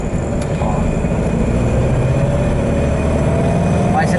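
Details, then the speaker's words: 1973 VW Beetle (Fusca) after pump replacement, ignition timing adjustment, Hot Spark and temporary used capsule: clean throttle blip, tone climbs smoothly with only exhaust burble, responding very well. Normal revving. "o que a gente ouve mesmo agora é somente o o barulhinho de escapamento ó e ele tá respondendo muito bem"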